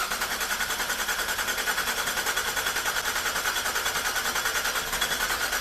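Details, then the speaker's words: 2012 GMC Acadia SLT 3.6 LLT first start after final assembly, fuel pump just primed: fast even chugging of about three beats a second that never fires; owner suspects air in the fuel lines and unfilled injectors. "Oh! It's got a lot of air in the line yet. Yeah. Oh, it's wanting to. Well, it's just got to get all the injectors filled up. So close!"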